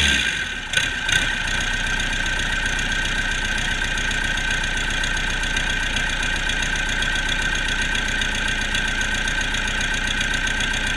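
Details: Cummins 4BT 3.9L turbocharged diesel test run after customer repair: smooth even idle, steady rhythm, no knocks or misses; normal idle.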